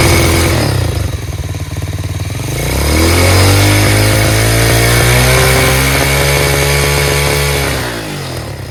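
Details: Chinese Tao Tao 125cc single-cylinder ATV quad with new carburetor, idle screw adjusted: idles, revs up smoothly on throttle, holds steady, then drops cleanly back down, crisp and even throughout; normal running and revving.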